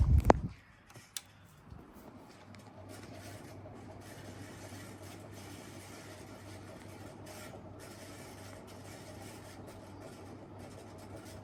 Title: Casablanca Delta ceiling fan 2/2 in reverse and bad bearings